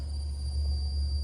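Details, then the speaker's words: Honda Element, blower motor area, fan on speed 1 (low): a thin, steady high whistle like AM static over a low fan hum. It changes with fan speed and goes away on high, and persisted after a used blower motor was installed; blamed on a faulty blower resistor. "All right, so here we are in Mike's element, and we've got a peculiar sound coming from right down here in the blower motor area."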